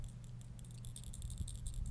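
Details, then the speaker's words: Keihin butterfly carburetor rebuild: accelerator pump cap shaken gives crisp, bright, loose rattles; the check ball moves freely and is not stuck with grunge or corrosion. "if the check valve is stuck with grunge or corrosion the carb will never run right because you won't have an accelerator pump you'll never see it squirt when you give it a handful you can hear the check ball"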